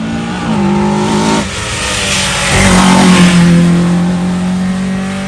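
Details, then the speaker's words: Rally car on day two of the Jersey Rally: loud, uneven running, tapping and missing, running on three cylinders at idle; excessive valve clearance. "we could hear it tapping and missing it was bit on three cylinders and idle"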